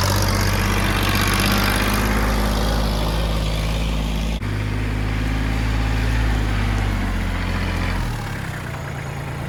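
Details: Kubota L3000DT diesel tractor with a good used replacement engine, serviced: steady, even chug at idle with a smooth low rumble, no knocks or misses; settled, normal healthy idle.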